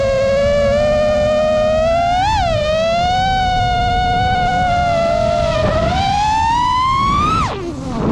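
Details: 5-inch FPV quad, new frame, Xing 2207 2450kv motors, 5x4 props, Spedix 30A BLHeli32 ESCs, Betaflight 4.1 RPM filtering, 4S 1500: motor whine wavering and surging with throttle; constant microvibrations/oscillation, cause unclear.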